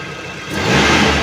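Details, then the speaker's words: 2014 Mitsubishi T120SS 1.5 injection pickup, about 60,000 km: idle climbs smoothly to about 4,000–5,000 rpm, clean rising rev with no knocks, rattles or roughness; engine normal, only needs some cleaning. "Nah ini sampai RPM 40005.000 suaranya masih oke masih halus masih enak intinya ini mesinnya normal-normal aja cuman sedikit perlu dibersihkan gitu aja"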